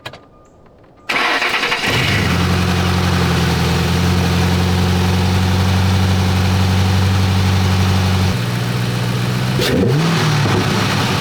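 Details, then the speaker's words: 3-valve Ford Mustang with newly installed Roush cold air intake: engine cranks and catches quickly, settles to a steady even idle, then a short blip; starts clean and sounds healthy. "The intake actually sounds really good on this car."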